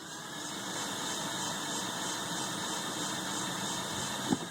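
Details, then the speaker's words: 1998 Volvo V70 cranking during a compression test: even starter whir without rhythmic compression pulses; cylinder 3 has only about 10-15 PSI versus 185 on cylinders 1 and 2. "Kind of a telltale sign that number 3 didn't have any compression. When I crank it, you don't even hear it popping in where I can count the revolutions."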